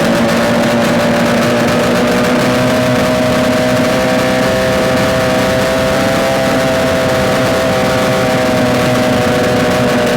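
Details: Yamaha RD250 two-stroke twin on a test-stand mount with total-loss ignition, running after coil wires were swapped; loud, steady buzz at even pitch for ten seconds, no knocks or rattles, smoking; running smoothly, likely a good engine.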